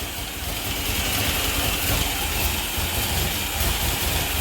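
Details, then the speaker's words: Grand Am GT with 3800 NIC cam and F23 swap, new coils and ignition module, first start on the key: uneven lumpy idle with a hissy rushing note; owner suspects a bad vacuum leak; battery appears not to be charging. "Definitely sounds like it has a bad vacuum leak somewhere."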